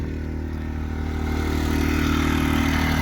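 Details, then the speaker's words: New Predator 2000 inverter generator plugged into a camper at a rest area, powering its lights: an even, steady hum that rises slightly and holds as load comes on, no misses or knocks; normal running, quieter than the semi trucks. "little generator you can't see it plugged into the camper real quiet it's actually quieter than the semi trucks"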